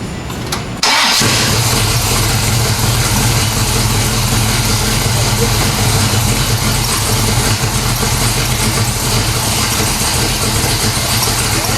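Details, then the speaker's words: 1970 Pontiac LeMans 455 with Quadrajet, after rebuilt automatic transmission that previously stalled the engine in Drive or Reverse: dropped into gear, engine holds a steady even note ten seconds without bogging; no longer stalls. "yeah but it doesn't stall when you put it in gear now that's true"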